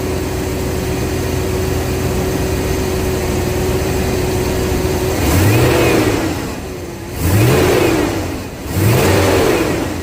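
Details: 1999 Chevy 350 5.7L Vortec V8 just after new distributor cap and rotor: catches and settles into an even idle, then three quick throttle blips rise and fall without stumbling.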